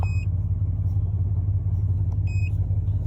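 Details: 1996 Chevy 1500 with the 4.3L, which would start and die because its old mass airflow sensor read a constant 0.01, after the MAF sensor was replaced: a low, steady idle with an even rumble and no stumble, plus a couple of short chimes, running normally.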